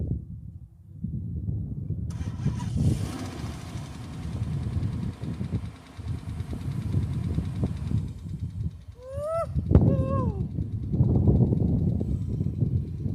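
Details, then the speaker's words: 2006 Dodge Magnum R/T, first start in years after sitting: starts right up and settles into a steady, even low rumble. It runs smoothly. "Started right up. Seems to run really good."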